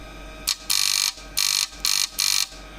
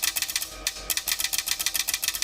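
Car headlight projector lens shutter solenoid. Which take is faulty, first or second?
first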